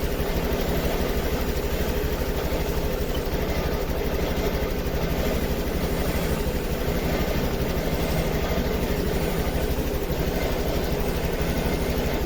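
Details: Honda Activa 6G scooter with missing and hesitation complaint, idling during scanner live data check: steady low idle with an uneven, faintly stumbling beat; misfire traced to a faulty oxygen sensor.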